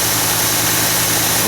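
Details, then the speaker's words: 2017 Ford F-150, 5.0L Coyote V8, cold start; tick reportedly only at 1400-1500 rpm and up; steady cold high idle around 1300-1400 rpm with even hum, no ticking or knocking; normal. "the engine is cold it'll high idle for a second we'll let that come down and then we'll show you what's going on"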